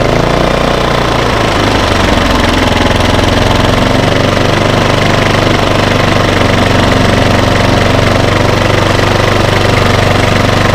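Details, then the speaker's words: 3700 W remote-start portable generator (Baliy), unused over a year, after carb cleaning, new spark plug and servo rotated back: steady, even fast drone, no surging, consistent idle, switching eco mode on and off. "but the generators not surging anymore and and it is keeping a more consistent idle it's not running at a low rpm or anything like that"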